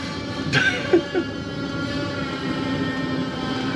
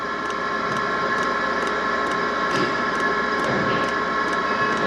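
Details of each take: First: Diesel heater after its fuel line was bled with a vacuum pump: a few ticks and clicks, then a steady soft roar of flame as the burner lights and combusts evenly. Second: Diesel heater in a camper van, dosing pump pulling fuel up an air-filled line being bled: sharp, even ticks roughly twice a second over a steady fan hum while fuel rises toward the heater; fuel pump ticking while priming.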